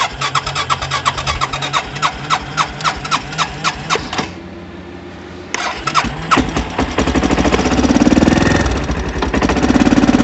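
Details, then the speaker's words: Baja WD250U or Kawasaki Bayou 220 ATV that sat with bad gas, started on jumper cables; uneven single-cylinder chugging at about three beats a second fades then surges, running only with choke on, so the carburetor needs cleaning. "so we're able to start and run with the choke on but as soon as the choke's off the machine's off so that means the carburetor needs to be cleaned"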